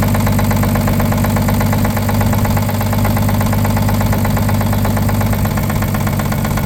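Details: 1950 Chevrolet 3800 one-ton with Chevy 235 six, abandoned since 1977, rough loud idle with deep knock about three per second; full 60% oil additive did not remove it: worn rod bearing knock.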